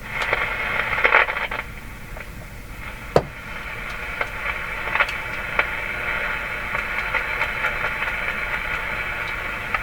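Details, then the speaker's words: Philco #53 shortwave tube radio, switched to the first shortwave band: the antenna has only a tiny influence, and only steady hiss with scratchy crackles and pops comes through, with no station locking in. Weak, noisy reception. "tiny tiny influence on the radio from the antenna that's not a good sign and nothing nothing all that scratchy uh body dirt in here scratchy sounds"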